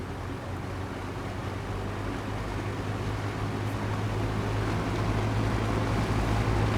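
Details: Old Lasko box fan, after a repair for a bad creaking, a nearly seized motor and stopping immediately at turn-off: a smooth, even hum with a low steady drone and airy rush, no creak or scrape. The fan now runs freely.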